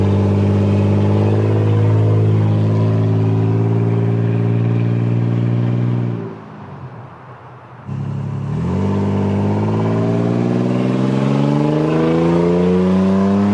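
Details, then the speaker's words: 23-year-old Toyota 4Runner, naturally aspirated V6, with the muffler removed after a deer incident: deep raspy exhaust rising with each rev, dipping off throttle, loud from the missing muffler. "yep so there you go guys it doesn't it doesn't sound bad I guess but it doesn't sound good either it's it's honestly pretty hard to get a decent sound out of a naturally aspirated V6 unfortunately"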